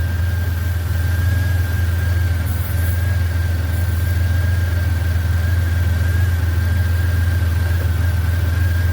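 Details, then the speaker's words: 1991 Buick LeSabre idling after R-12 to R-134a retrofit, one can of refrigerant charging: compressor kicks on, steady low idle rumble with constant thin whine, clicking and spinning; compressor working normally. "Oh, there we go. Our compressor just kicked on. It works."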